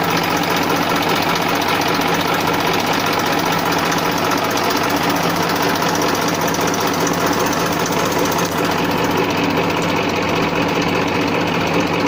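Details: 1994 Massey Ferguson 1035 DI tractor diesel: smooth, steady hum at constant speed with no knocks, misses or grinding; normal idle.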